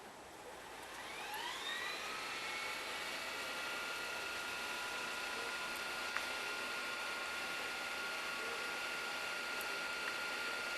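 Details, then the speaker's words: Lite-On DVD/VCR combo fast-forwarding a tape: whir spins up over about two seconds, then holds a smooth steady high whine with light hiss, moving very fast. Normal fast-forward whir. "I want you to hear and see just how fast this VCR rewinds and fast forwards a tape. So I'm going to hit fast forward and listen to it."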